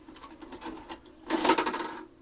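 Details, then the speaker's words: JVC HR-A592U VHS VCR with load/eject fault: light clicks, then about a second of motor-and-gear whirring as it cycles the load mechanism with no tape inserted, also at power-on; cause unknown, lubrication tried. "you take the tape out it tries to it does the same thing when you turn it on"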